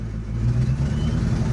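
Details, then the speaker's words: Engine stumbles and bogs with a low, uneven drone when gradually given throttle, sounding like it wants to die; owner suspects the reinstalled stock injectors aren't supplying enough fuel. Boost leak and an electrical issue also still unresolved. "gradually stepping on it sounds like it wants to die i think it's because i put these stock injectors back on and it's not getting enough gas"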